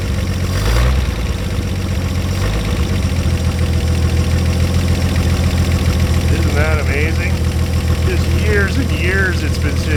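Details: 1950 Chevrolet Fleetline Deluxe six-cylinder, just started after sitting for years, cold winter day, idled down: low steady idle with even beat, no knocks, ticks or misses; normal healthy idle.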